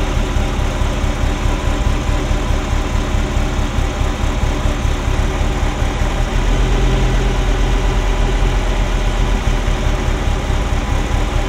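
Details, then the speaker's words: Ferrari Mondial V8 at idle, hard to start that morning, timing mark not visible; heavy, loping, uneven thrum like an old marine engine; misfire on cylinders 5-8, owner suspects a timing sensor, unconfirmed. "sounds like an old marine engine at the moment. There's a thrumming that there shouldn't be, so it's uneven."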